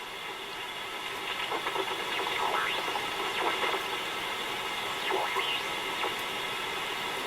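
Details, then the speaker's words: Dynatron Tourist radio in for restoration barely working: steady hiss with funny oscillating warbling whistles between stations, almost no stations received, nothing on long wave, very poor sensitivity; capacitors almost certainly suspected, not confirmed. "it's not very sensitive at all. And it's making a funny oscillating warbling noise in between."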